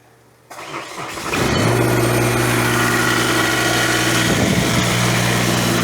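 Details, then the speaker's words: Ventrac 4500Y, 25 HP Kubota diesel, after freeing dirt-blocked parking brake switch, battery nearly dead: brief crank, catches cleanly, smooth steady idle with no knocks or misses; normal start and idle. "Okay, so that all runs really good."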